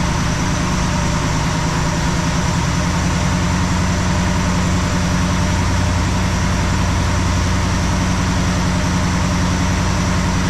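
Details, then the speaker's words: 1969 Plymouth Fury III, warmed up after 15 minutes (about 840 rpm idle, 20 in vacuum), raised to about 1250 rpm fast idle with 21.5 in vacuum: steady, even note, no misses, knocks or hunting; running smooth during fuel-issue test. "About 1250. Let's run it at 1250 for 5 minutes or so, and we'll see how it does."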